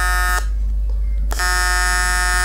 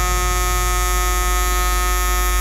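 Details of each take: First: Vector London 2400 AC/DC TIG welder on aluminium at 200 Hz with the cleaning effect set to 10%: a steady, harsh buzz with a sharp break mid-clip. The AC arc is running with too little cleaning, leaving lots of dirt and stains on the weld. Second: Vector London 2400 AC/DC TIG welder on 2 mm aluminium: a steady, harsh electric buzz at one fixed pitch that holds evenly until it cuts off. A normal AC TIG arc.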